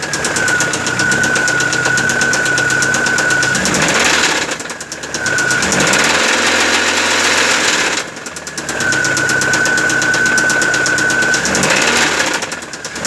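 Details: Car engine with loud engine noise: rough running with irregular heavy knocking and a faint whistle; said to be connecting rod knock (batendo biela), not confirmed.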